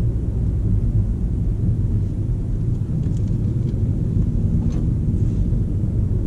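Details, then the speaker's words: VW Golf GTE plug-in hybrid accelerating with boost at maximum, pedal not floored: a deep, even rumble building steadily with no knocks or rough patches, a healthy hybrid drivetrain. "Nu am apăsat pedala până la podea, dar este o senzație nemaipomenită."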